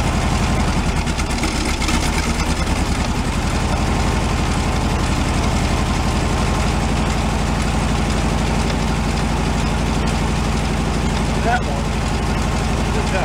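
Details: 1978 VW Super Beetle with an oil cooler leak: lumpy, loping idle with pulses that come and go while each plug wire is shorted with a test light to find the dead cylinder; misfire suspected, not confirmed.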